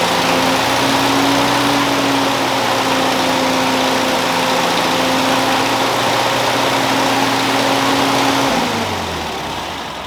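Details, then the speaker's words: Ford 2N tractor, converted to 12 volt, first start after new coil and new aftermarket carburetor: engine holds one steady, fairly fast speed about eight seconds then drops away; throttle linkage not changing idle, later governor adjusted. "whenever i was working the throttle linkage it wasn't doing anything with the idle for the tractor so i'm going to see what the problem is there"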